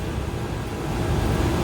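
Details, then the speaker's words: Kitchen AC second-stage scroll compressor after a major refrigerant leak, being recharged at about 95°F outdoor: a smooth, steady low hum with no rattle or knock. The unit is running normally. "All right, our unit is running."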